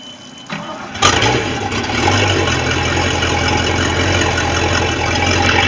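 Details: Bayliner boat engine with a bad starter cranks and catches within a second, then settles into a steady, even idle rumble with no misfires or knocks: normal idle.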